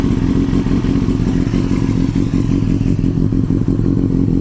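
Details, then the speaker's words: 2002 Yamaha R6 (5EB, carbureted) after carbs cleaned and balanced, rusted fuel tank fixed and new fuel filters fitted: deep, steady engine beat with an even firing rhythm and no misses or stumbles; runs much better than before. "but as you can hear she runs a lot better now than she did when I went to my hand nice after the carbs have been cleaned balanced a fuel tank has been fixed so there's no rust or our corrosion in there"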